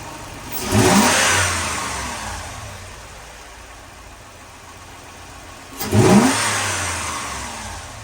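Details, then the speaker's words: 2004 Lexus GX470 V8, first start after full reassembly, no coolant yet, radiator-fluid smell: two quick revs, each falling back to a smooth, even idle about 700 rpm with no miss or stumble; normal idle. "she's idling really good doesn't sound like she's misfiring there's no coolant in it so I won't know unless I put coolant in it she's idling about like s 700 RPM just a just a tad under a th000 so idling is good it sounds really good"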